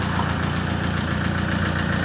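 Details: 2004 (B.E. 2547) Toyota Hilux Tiger D4D common-rail diesel at idle: even steady low smooth rumble, no irregular knock or rattle; engine tight. Normal idle.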